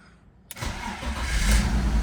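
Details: 2001 BMW E46 330ci convertible, 165,904 miles, first start after auction purchase with low coolant light on: brief crank catches at once into steady low rumble, clean start; check engine and DSC lights on, vacuum leaks suspected.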